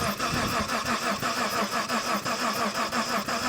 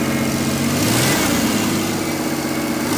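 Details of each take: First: 1990 Mitsubishi Montero Gen 1, six-cylinder manual, no coolant: starter turns engine in steady pulses about three a second but never catches; no spark from ignition coil, coil to be replaced. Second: 1990 Mitsubishi Montero Gen 1, six-cylinder manual, after ignition timing adjustment for a suspected timing issue: engine catches and settles into a smooth, steady idle with a quick rev; normal idle.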